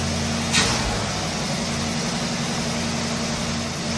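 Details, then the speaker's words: 1969 Pontiac Firebird Trans Am under restoration, carbureted V8 hot-wired start, choke set, factory-style exhaust, warming up: steady even low hum, no knocks or misses; normal idle. "Now, if you want to know what that exhaust system sounds like, it doesn't sound too bad for a factory style exhaust. It has a nice little tone to it."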